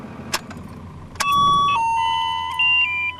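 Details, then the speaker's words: Aftermarket fuel pressure alarm on a 2nd-generation Dodge Cummins truck, armed by cycling the ignition key: with a quiet cab, a sharp electronic chime with stepping pitch sounds and the light flashes as fuel pressure drops; low fuel pressure warning. "you'll see that as soon as the pressure drops back down while the alarm starts uh sounding and the light starts flashing"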